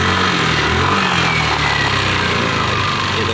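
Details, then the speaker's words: Yamaha Lexi scooter running with a rough, gravelly growl (ngorok) from the rear of the CVT, on opening the throttle or pulling away and also sharp when releasing the throttle. "ada suara sono foto-foto pada waktu gas dibuka atau buat angkatan pertama Ya kalau kalian pertama itu ada bunyi mengkorok di bagian CVT tepatnya dibagian belakang ini itu saat lepas gas pun juga ada suaranya sangat tajam"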